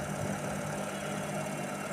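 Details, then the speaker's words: IFB Senorita Aqua VX front-load washer after belt refitted, drum knock gone: steady even hum with no rhythmic knocking as drum turns, normal drum rotation. "இப்போ அந்த sound இல்லை, நீட்டாக ஓடுது, எந்த கம்ப்ளைண்ட்டும் கிடையாது."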